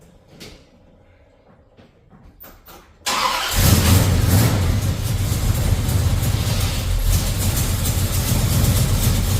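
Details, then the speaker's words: Hot rod V8 cranks and catches into a loud, lumpy rumbling idle with an uneven puffing pulse from an exhaust leak. "oh well uh boy you can really hear that exhaust leak"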